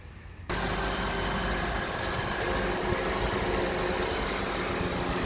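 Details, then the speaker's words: Honda CR-V 4-cylinder just after a serpentine belt replacement: the engine fires and settles at once into a quiet, steady, even idle with no squeal or chirp from the belt; normal idle. "There you go. Quiet as a mouse."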